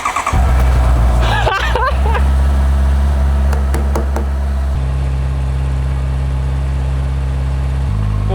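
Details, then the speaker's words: 2022 Honda CBR650R, 3,000 on the clock, sat over a year, first start after refitting ECU, fuel tank and battery: catches quickly, settles into an even idle, short clean rev; healthy, now running. "What's up? Okay, first thing done. We got a running motorcycle."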